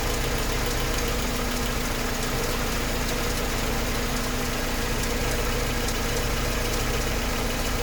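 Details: Mercedes 190E engine at idle: a light, regular tick keeps pace with engine speed over an otherwise steady idle. It sounds like valvetrain ticking; the cause is not pinned down.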